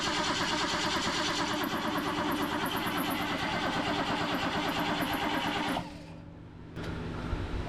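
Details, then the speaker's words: 1977 BMW 530i parked since 2017, after restoring spark: steady rhythmic cranking about six seconds with no firing; turns over but won't start, suspected no fuel because the fuel pump isn't kicking on. "what do you think no fuel feel like the fuel pump's not kicking on"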